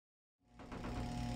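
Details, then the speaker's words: Sun-Mar composting toilet vent fan at an Ohio cabin: from silence, a steady low electric hum rises quickly and holds even with no scraping; the previously seized-sounding motor has been freed and runs normally. "yep looks like we're working i can hear the motor i can hear the before with just like a seized up motor sound so i think we got it free and hopefully we're good for another season"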